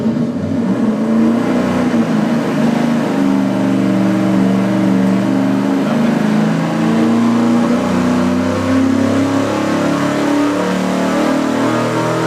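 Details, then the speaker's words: Engine dyno full-throttle pull on the remanufactured Edelbrock 750 CFM four-barrel carburetor. The air door may not have been opening all the way, possibly giving a wavering, wobbling drone instead of a clean climb. "was that air door open all the way was that as far as it goes I didn't even look at it I could still see the whole butterfly of it oh maybe that's why it was wobbling instead of revving up cleanly"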